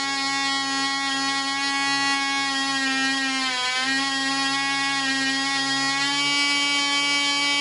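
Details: Black Widow mouse racer (little Carolina shaker) first test run on 24% nitromethane fuel, 5x3 prop, high-compression head, needle valve at three turns: high steady buzzing whine dips briefly and recovers, runs smooth but won't cut off when vent closed; suspected air leak.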